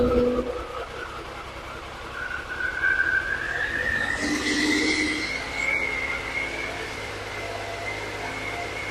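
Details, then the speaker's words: Triumph Sprint 955i, a 1000cc bike left non-running and neglected for years, starts after fuel pump now primes and fuel returns; engine catches, revs then settles to a steady even run, running properly, fault codes cleared. "So, it runs. I don't know how these bikes actually sound when they're running."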